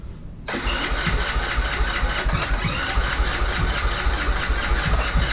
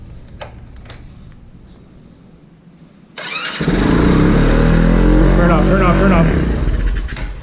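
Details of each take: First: Vader 125 Grom-clone motorcycle on first start attempt: steady starter cranking with even pulses about two per second that never catch; has compression but won't fire. Cause suspected, not confirmed. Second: Vader 125 Grom-clone motorcycle, carbureted, first start after disassembly with choke up and idle screw turned way down: quiet, then catches suddenly into a quick, even putter with no misses; normal start and idle.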